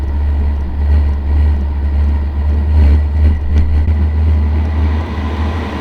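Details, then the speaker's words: H-Calory Toolbox 2S diesel heater from a cold start at the middle setting: the glow plug draws about 9 A, then the blower ramps up, ignition catches, the glow plug switches off and draw falls to 36 W. Steady low rumble, a clean healthy start. "As the blur ramps up, I can see the ignition is burning and the glow plug is now off."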